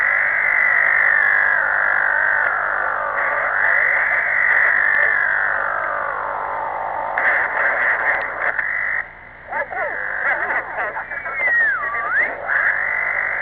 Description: This phenomena is really strange. It changes frequency constantly over the band.